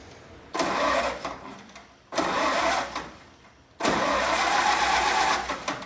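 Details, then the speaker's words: 1945 International Harvester M-5H-6 truck, IH Red Diamond RED-361 engine, new oil filter system retrofitted, cranked via plunger on original starter solenoid to check for oil flow: three cranking bursts, no firing; turns freely, normal. "If you have one of these and it still has the original solenoid, there's a plunger on the bottom of it here that will actually crank the motor over from here."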